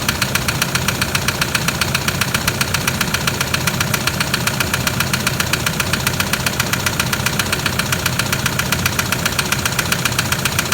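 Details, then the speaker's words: 2007 Toyota Land Cruiser Prado 120 with the 1KD diesel at 230k, just started cold; sharp, even metallic knocking, about two or three per second, over the idle. Heavy internal knock; a blocked oil pickup is suspected, not confirmed. "Oh hell! That's bad."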